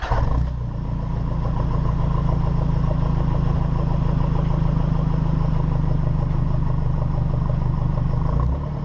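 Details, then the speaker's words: 2010 Nissan D22 Navara YD25 diesel, newly fitted 3-inch Ignite exhaust with hot-dog muffler, GoPro on rear step, recorded in the dark: deep steady drone, even low pulse at idle, no rattles or leaks. "So sit back and enjoy a couple of minutes of glorious 3-inch exhaust."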